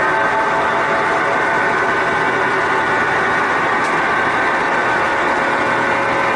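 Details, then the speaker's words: Sears Kenmore Elite (Oasis) top-load washer, before repair: a loud, steady, unbroken whirring roar like a jet engine, getting louder, with a high tonal hum; worn drive bearings. "that it is sounds like a whirring of jet engine and also the agitator in"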